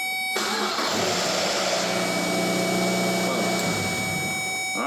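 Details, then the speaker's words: 2006 Mazda Miata with an intermittent no-start, worse on cold mornings, during loaded starter ground and power tests: a brief crank catches almost at once and settles to a steady, even idle; this time it starts normally. "as you can see, it started this time."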